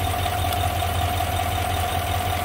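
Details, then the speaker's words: Chevrolet Silverado 5.3 V8 idling after the fallen-off spark plug wire was reseated on its coil: steady, even, smooth rumble with no tapping. The cause of the tapping and misfire is fixed, though why the wire came out is unknown. "all right smooth now obviously no tapping but now i'm really curious why did that wire come out"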